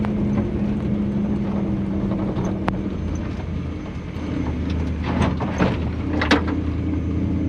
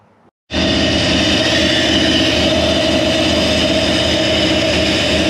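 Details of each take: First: Toyota Land Cruiser with a 1UZ Lexus V8 swap, completed and driving. Smooth, even V8 rumble pulling away with no misses or knocks. Antifreeze smell noted earlier. Normal running. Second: Toyota 1UZ-FE V8 swapped into a Land Cruiser idles lumpy and uneven, about four stumbles a second; number two cylinder misfiring because its injector connector was not plugged in properly.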